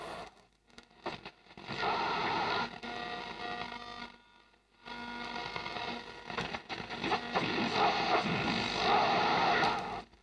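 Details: 1958 Telefunken Dacapo 9 tube radio, first power-up through dim-bulb tester, voltage up to 200 volts; faint music fades in and out under hiss and crackle, nearly silent at times: weak, noisy reception.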